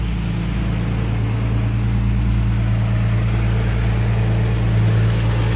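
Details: 2008 Ford Mustang 4.0 V6: even, fast light ticking, about three per second, at idle. It persists after a stripped spark plug thread was repaired with a thread kit and the plug seated correctly; origin unclear.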